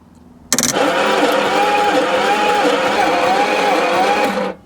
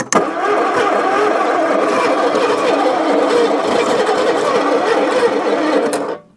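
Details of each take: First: 1966 Ford Zodiac Mark III, abandoned for decades, during compression testing: steady starter whirr with a slow wavering rise and fall and no firing. Cylinder one reads 130 psi, but cylinders two and four read 50 and 40, explaining the hard starting. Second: 1966 Ford Zodiac Mark III abandoned for decades, with a replacement starter and oil squirted into the cylinders: a steady fast crank, roughly three to four turns a second for six seconds, without firing; the new starter is clearly stronger.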